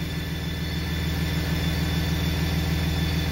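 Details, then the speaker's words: 2007 Dodge with 6.7L Cummins diesel, driving down the road: off throttle, a thin steady high squeal rides over the even diesel drone whenever the exhaust brake engages, not heard while accelerating; brake still works. "and uh got a squealing exhaust brake I don't know if you're gonna be able to hear it from in here or not but just every time"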